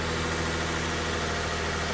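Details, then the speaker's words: 2010 Nissan Frontier 4.0L V6 idling after jump start, left running to charge battery: smooth even idle hum, steady low note, no knocks or misses; healthy idle. "And I am going to have to open up this garage so I can let this battery charge while I have it inside the garage and it is up and running. So we are just gonna let this vehicle run like this and let it charge so"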